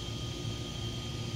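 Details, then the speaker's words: Castle Mamba Monster XL2 ESC after replacing blown external capacitors with identical ones: steady high, even whir with a constant thin tone, no rattle or wobble; ESC cooling fan running normally, ESC and cap packs not hot. "i got steering fan on my esc is working the esc is not too hot cat packs are not hot"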